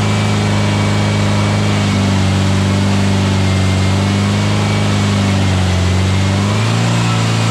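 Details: Freshly built VW Beetle 1679cc single-port engine, Scat C25 cam, dual Empi ITC carbs, 20-minute cam break-in: smooth even fast idle, steady low drone, no misses, knocks or ticks; healthy, timing spot on, carbs need tuning.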